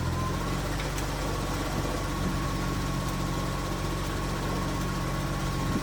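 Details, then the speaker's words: BMW E30 after new SPEC stage 3 clutch and new alternator belt, having run hot when belt failed: steady low even idle, no knocks, squeal or belt chirp; blowing a little smoke, owner hopes head gasket undamaged; normal idle. "so the car sounds good but she's blowing a little bit of smoke"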